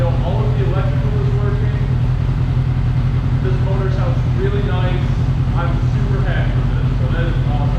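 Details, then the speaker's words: 2008 Yamaha R6 inline-four, first start after replacing a mouse-chewed wiring harness, running on fuel a couple of years old: steady, even idle with no knocks or misses, sounds healthy; oil and coolant change still to come. "so now that we know that this bike actually runs and it actually sounds really nice next thing i'm going to do is i'm going to do an oil change"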